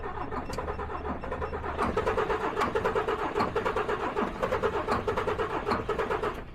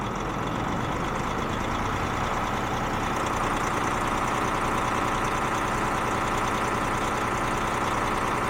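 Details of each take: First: DAF XF truck with too little fuel rail pressure, cranked with injector number one blanked off to find a stuck or broken injector: starter cranks at a quick, even beat for about five seconds but the diesel never starts. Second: DAF XF truck diesel, previously a non-starter, started after fuel pressure control valve replacement: steady even clatter with no hunting or stumble, idling smoothly; correction value down about 20%, injectors may still need cleaning or replacement.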